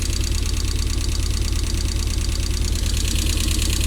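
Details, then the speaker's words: Rover engine in an MG, first run after no-start diagnosis and timing work: low, lumpy idle with uneven thump about three times a second and shaking, some smoke; owner suspects misfire, running on three cylinders, unconfirmed. "now you'll know better than me does that sound normal is that rover might be a misfire i might be running on three cylinders here"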